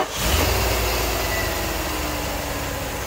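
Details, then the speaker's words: Mercedes C126 after replacing plugs, wires, cap, rotor, filters and ICV hoses to cure a misfire: catches and settles into steady, even idle, no stumble; owner warns it usually misfires only once heat builds. "like so that sounds pretty good but it will use usually sound pretty good until it starts getting a little heat in it then it'll start misfiring"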